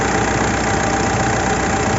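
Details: Mitsubishi Montero diesel misfiring with no check engine light or fault code, fuel rail pressure reaching 50,000 kPa at idle: steady clatter with uneven lumpy beat beneath, rough idle; injector suspected.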